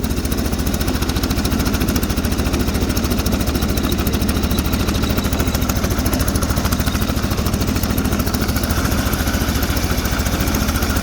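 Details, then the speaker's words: Sears Suburban snowblower, 20HP Briggs V-twin, running on crankcase fuel to warm the oil: steady low thumping, lumpy and jerky; one cylinder dead, running on the other. Misfire, running on one cylinder. "sounds like a one cylinder i don't want to blow her up so i don't want to run her too long like this"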